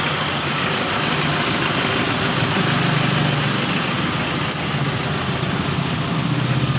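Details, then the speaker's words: Mitsubishi L300 diesel with untouched injection pump timing, just started: hard uneven knock with slight hunting, about four beats a second, white smoke; rough idle from incorrect injection timing, adjustment to follow. "Oke untuk awal hidup agak sedikit ranting ya temen-temen ya agak sedikit hanting Papi mau coba dulu setel untuk bagian timing nya ya"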